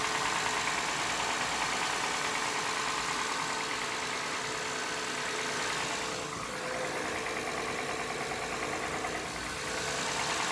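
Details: Engine at cold start after new spark plugs, idle elevated: fairly even tapping roughly three per second over the idle, sounds like top-end valvetrain knock, fades as it warms; owner fears a valve bent when the rear camshaft rotated; unconfirmed.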